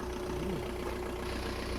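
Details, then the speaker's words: Cold engine just started after replacing the Bosch accessory belt with a Gates belt and replacing the idler pulley: even, quiet idle and a few revs with no squeak or chirp, belt drive healthy. "зараз мені каже я чую що двигун працює тихенько рівненько по сторонніх це двигун холодний машина не заводиласяце я тільки запустив чуєте нічого не пищить нічого не шумить"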